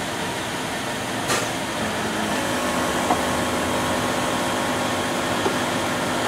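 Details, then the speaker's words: 2006 Land Rover LR3 air suspension compressor after replacing the front transfer relief valve and splicing the cut front air line with a pen ink tube; steady mid-pitched electric whirr under hiss, now running and pumping up, unlike before. "We'll see what happens. But I hear it trying, which is more than it did before."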